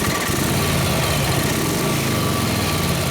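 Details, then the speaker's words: 1953 Harley 74ci panhead, cold, just started after flooding, full throttle, no choke: V-twin stumbles with an uneven beat, running a little lean; two clicks on the carb made it sound much better. "A little lean right off my way. Ain't good, didn't help it."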